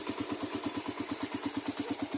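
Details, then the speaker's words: Raider carburetor motorcycle, cold morning one-click start: quick even light ticking about eight per second at idle for 5–10 seconds, fading within about a minute as oil reaches the head. "Mga 5 to 10 seconds meron tayong marinig nito na konting lagitik. Pero kapag umabot na sana sa mga ah 30 seconds, mga 1 minute, mawawala yan siya"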